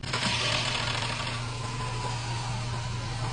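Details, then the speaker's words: 2020 Fiat Argo on cold start, with a camshaft position sensor fault code stored: brief metallic clatter right at startup that stops within a second into a steady idle. Timing chain rattle on cold start. "O barulho é bem rápido. Ele da e para."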